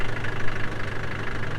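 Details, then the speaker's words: 1996 Land Rover Defender 110 diesel idling on a cold day, ticking away with a steady, deep, even light clatter, no misses or knocks; healthy normal idle. "They're saying, and there's a defender just ticking away."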